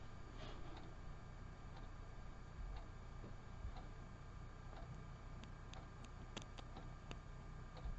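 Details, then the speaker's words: Wired earbuds tested with a potato battery of a copper penny and galvanized nail: faint irregular clicks over low room hum from each side when the connector touches, showing continuity of the wires to each earbud. "Si le côté gauche et le côté droit font du bruit, cela signifie qu'il y a une continuité électrique dans les fils de votre écouteur qui vont du connecteur jusqu'à chaque écouteur."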